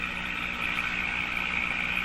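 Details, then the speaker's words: Mohawk Model 1240 five-tube radio with original old capacitors: 1000 Hz test tone barely audible under a rough, buzzy garble and low hum from the speaker. Garbling persists with signal injected at the volume control, so the fault is suspected in the audio stages. "it's just barely coming through wow okay so I hear a garble I hear a noise and I can hear the Thousand Hertz tone barely in there so that's what's coming out of the speaker"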